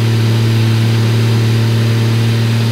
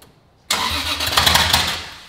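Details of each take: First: Toyota Supra started for the first time after rebuild with new parts and new manifold: strong, even engine drone stepping down smoothly as revs drop, no ticking or leak hiss, left running to monitor temperatures and check for leaks. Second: Toyota Supra's first start after rebuild with no exhaust housing, injectors enabled: the starter cranks with loud, ragged popping that never catches. Mistimed ignition, traced to a sensor left unplugged, so it misfired and failed to start.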